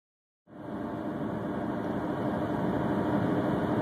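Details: 1997 Honda CR-V while driving: a steady whir over road rumble that rises and falls with road speed and continues off the accelerator; source unclear.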